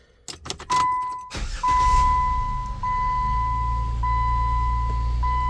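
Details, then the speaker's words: 2007 Jeep Wrangler with the oil pressure light staying on (switch or wiring suspected): quick crank, clean catch and smooth, even idle under a steady warning chime; the engine itself sounds healthy, a normal start and idle. "Now the engine sounds fine. Don't worry about the engine, check engine light. That's a whole different video."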